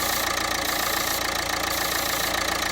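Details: Renault Megane MK3 dCi with the pipe to the turbo and manifold disconnected and the engine light on: steady airy vacuum hiss from the open line over a rough diesel idle; the previously blocked pipe now flows air again.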